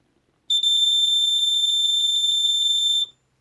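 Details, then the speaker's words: Mid-1980s Sears 246.57313 smoke detector made by BRK, early red/rust three-slot electronic horn, on test: shrill fast-fluttering tone about two and a half seconds, higher pitched than the newer version; working. "So as you can hear, this one's slightly higher pitched than this one, but they're both actually much higher pitched than the newer one."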